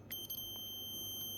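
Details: Dead Asus TUF FX506L laptop, meter across main power rail: steady continuous high beep, reading zero ohms both sides, rail shorted to ground (battery-side caps fine); short caused by a bad MOSFET.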